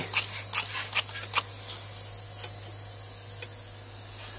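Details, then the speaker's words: Air suspension air spring leak: steady high hiss of escaping air with a few spray squirts at the start; soapy water shows big bubbles at fine cracks in the air spring. "So, you can see the air bubbles coming in right there. There's your There's your leak right there."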